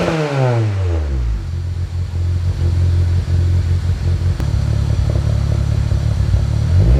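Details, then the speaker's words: Honda CR-V RD1 with K-swap, first start on new custom mild-steel exhaust (3-inch downpipe, 2.5-inch back, resonator, twin loop muffler), against a concrete wall: very loud, deep, rough drone rising and falling with revs; owner suspects an exhaust leak. "holy that's loud uh do i have an exhaust leaf or what [Music] holy i might have an exhaust leak that shouldn't be that loud"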